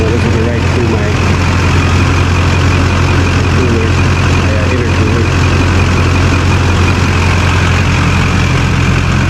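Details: 2001 LB7 Duramax GMC Sierra crew cab dually, already warmed up, after a larger transmission oil cooler was installed: a deep, steady diesel clatter at idle with an even beat and no misses or knocks. It sounds healthy.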